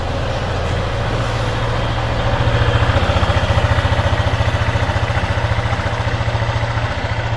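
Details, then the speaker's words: Scooter at 6,000 km before oil change, engine cold and not yet used that day: steady even low idle thump, no knocks or rattles from the engine, only some noise from the side; normal cold idle. "Okay, normal naman yung ingay niya. Wala akong naririnig na ingay na nanggagaling sa makina."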